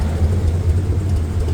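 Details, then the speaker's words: Stock 305 small-block V8 in an A-team van, warmed up after fitting 1.6-ratio rockers on the exhaust valves only: a steady, even idle rumble with no ticking or lope. It sounds no different than with the stock 1.5 rockers, so the swap was a waste. "So, it doesn't sound any different than the 1.5. So, basically a waste of time."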